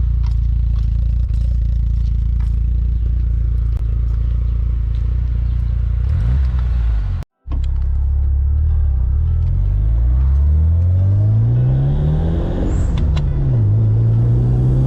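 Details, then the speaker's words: DSM driven after timing tensioner failure repair: machine-shop cylinder head, head gasket, new water pump and tensioner pulley; strong clean revs climbing and falling smoothly through the gears, no knock or rattle, healthy. "We actually got a little carried away, but nevertheless, it's working, and it's working just fine. It sounds awesome. It sounds good."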